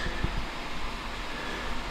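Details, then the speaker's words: Household water pump with a 24-liter pressure tank and a missing valve: steady motor drone and hiss that never cycles off; the pump runs constantly because the valve isn't there. "I have to go out and disconnect the pump, so as you can hear, it's constantly beeping because the valve isn't there."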